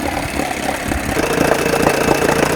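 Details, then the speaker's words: 1980 Evinrude 4.5 hp two-stroke outboard after a carburetor rebuild, pulse tube diaphragm repair and float adjustment; it settles into a fast, even idle with a steady popping beat and no stumbling, and nothing leaks from the pulse tube. "Nothing coming out of the pulse tube. We are golden. Listen to that. All right, I think we got it."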